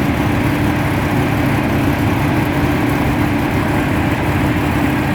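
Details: 1985 Mazda RX-7 GS rotary: starts right up but idles rough, choppy and uneven, whole car shaking, sometimes dies at stops unless given gas, restarts after dying.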